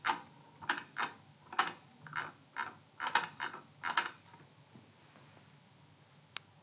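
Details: Logitech MX Master 2S mouse scroll wheel: crisp bursts of fast, fairly loud ratchet clicks in quick runs, then quiet; normal notched scroll-wheel clicking.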